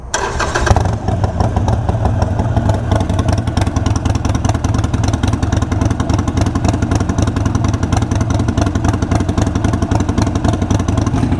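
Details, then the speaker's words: Harley Iron 883 with a Vance & Hines Fuelpak FP3 running auto-tune with the engine cold: it catches within a second and settles into a steady, even V-twin lope, with no sputtering or stalling, unlike before. "See, it's not running like it was the last time. So that's awesome. That's the first time I've seen it run like that without it like sputtering and stalling out."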